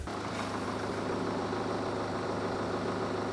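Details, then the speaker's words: 2019 BMW 320d M Sport, 88,650 km, inline-four diesel with 8-speed automatic: even, steady idle with light diesel clatter, quiet for a diesel, no misfire or knocking; healthy engine. "당연히 디젤이기 때문에 휘발유보다는 어느 정도 소음이 있지만 이제 치고는 조용하다라고 느껴지고요"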